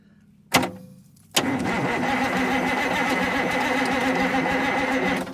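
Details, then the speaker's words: 43-year-old International Transtar II truck sitting 20+ years, after splicing a deteriorated solenoid wire: a couple of clicks then the starter spins the engine freely at a steady even rhythm; engine not seized. "how about that fellas and ladies woo well it's not locked up"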